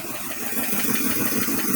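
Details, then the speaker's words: 1973 International 1110 4x4 pickup on first start after sitting: the freshly started V8 idles with a sharp, rapid puffing tick over the rumble, an exhaust leak at an apparently cracked donut gasket; otherwise it runs well. "Oh yeah, fires right up. Is an exhaust leak"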